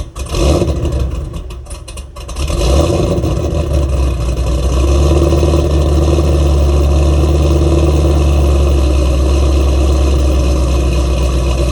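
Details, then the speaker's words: Ford Mustang with stock mufflers just after an SCT X4 custom 87-octane tune: steady deep V8 burble settling into an even idle after start, no misses or ticks; runs well. "oh that's it I'm so happy that this thing is running it runs well it even sounds good even with those stock mufflers"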